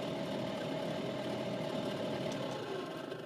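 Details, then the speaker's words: Ford Fusion diesel at idle: the heater blower fan makes a constant mid-pitched hum with rushing air over the quiet engine. It is very noisy but needed to clear the windows. The cause is not yet found. "the blowers are very noisy listen to this so something needs ganti down there"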